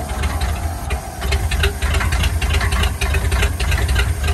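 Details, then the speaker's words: 1950 Ford flathead V8 truck running after sitting about 40 years, on two-stroke fuel, with gunk in the cylinders from freeing it: steady, loping low rumble with light tappety chatter and slight smoke; normal running. "Boy, them flatheads sound so good."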